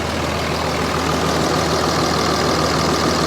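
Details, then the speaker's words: 2005 Dodge Ram 3500 dually Cummins diesel, manual, listed as a non-runner yet started: loud deep idle with a slightly uneven, lumpy beat, about three pulses a second; suspected down a cylinder, no blow-by, check engine light on. "Seems like it's running a little off there. It may be down a cylinder."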